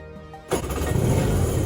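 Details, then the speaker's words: Jet ski (Xi 750 hull with SS 650 engine swap), cold two-stroke first start after rewiring, fueled and hand-choked: catches suddenly and settles into a steady, even, quiet burble with no knocks or rattles; running normally. "that sounds good quiet that's good"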